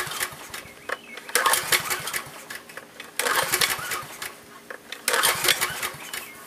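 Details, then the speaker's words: Generator unused for years, little old gas in tank, fuel valve still shut: three recoil pulls about two seconds apart, engine spins over but never fires; no start. "good it helps to turn the fuel on okay so I'm pulling my brains out and I'm going to find out why it's not wanting to start"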